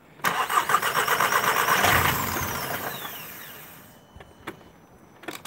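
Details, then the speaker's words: Audi TT 2.0 TFSI CESA, parked over a year, codes P0016, P0506, P0108, P0444; PCV and intake gasket air leaks already repaired: cranks and catches roughly, revs sag, and it dies within about two seconds. Won't hold idle. "know whether you got that but it will not wait will no idle"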